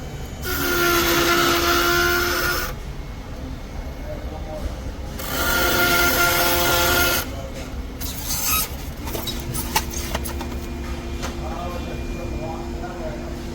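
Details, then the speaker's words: Car with loud noise from the front right wheel: two loud bursts of harsh rasping grind with a squealing edge rising and falling with wheel rotation; front brake grinding. "customers complaining about a loud noise coming from the front right wheel"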